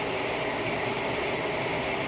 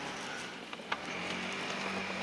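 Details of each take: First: 2010 Jeep Wrangler JKU after front driveshaft replacement with an upgraded unit, fixing 4WD clicking: test drive up to 45 mph with steady even road and wind rush, no rhythmic thump or drone and no driveline vibration. Fixed; light bar adds some noise. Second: 2010 Jeep Wrangler JKU with clicking in 4WD: engine off, front driveshaft twisted by hand at the transfer-case CV joint gives faint uneven clicks and clunks; grease slung on the heat shield. Worn CV joint, fixed by replacing with a Spicer driveshaft.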